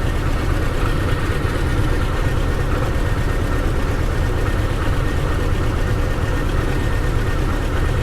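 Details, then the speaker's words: 1997 Chevy S10 2.2 four-cylinder just after fuel pressure regulator replacement, fired right up despite purged fuel system; no leaks or fuel smell. Even, steady low idle with no stumble, hiss or tick: normal idle. "it fired it fired right up like that was"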